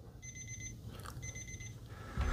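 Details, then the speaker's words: ANENG 613 multimeter alarm clock going off: two bursts of fast high-pitched chirps repeating each second; alarm works but is very faint, unlikely to wake anyone. "so what's going off can you hear that I mean it is so so low is that going to wake you up I don't think it's going to wake me"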